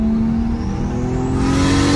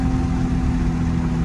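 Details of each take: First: Single-turbo 1JZ on a test drive after fixing the wastegate/boost controller vacuum tee: engine revs with a rising turbo whistle and no whoosh between shifts; owner unsure whether the blow-off valve works because he hears only turbo. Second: Single-turbo 1JZ on a test drive under boost after fixing the wastegate/boost controller vacuum tee: deep, even drone pulling steadily with no flutter, hiss or rattle; only turbo heard, and owner unsure whether the blow-off valve works.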